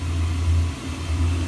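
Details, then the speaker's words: Slant-Fin VSPH-120 gas boiler burner after ignition; steady low flame roar with slight level swells, no popping or surging, firing normally. "and here's the flame starting up back back up all right"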